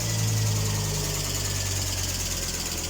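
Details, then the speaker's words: Volvo 850 T5R after engine renovation, first cold start: light fast ticking about four times a second from hydraulic lifters at idle, which went away once the engine reached temperature. "TI up first time so you can hear the lifters but they'll uh be okay once it's got warm"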